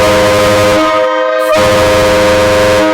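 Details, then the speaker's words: Train horns on a truck fed from one manifold through a manual ball valve, partly closed: loud multi-tone blast that sags and drops out; supply heavily restricted so not all horns fire. "so what you're hearing right now is it's super restricted it's not enough air going into it to fire all of them"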